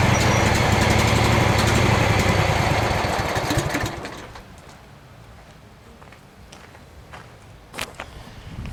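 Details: Craftsman FS 5500 lawn tractor, single-cylinder, putters at about four beats a second, then dies away; the idle is uneven. The owner says there is dirt in the carburetor, before cleaning.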